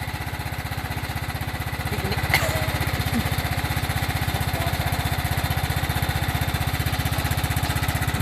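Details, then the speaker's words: Used Kohler engine swapped into riding lawnmower replacing a blown Briggs and Stratton, first run, possibly cold: steady, even low thump at idle, quiet with no knocking; runs smooth and healthy. "Might be cold. Oh, that's quiet. There's no knocking."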